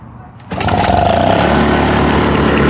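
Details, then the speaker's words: 1996 Toro commercial 2-stroke mower (22040) after fuel flow improved and overrevving traced to governor adjustment, started at low speed: catches at once and settles into a steady, even buzz; healthy start. "starts right up"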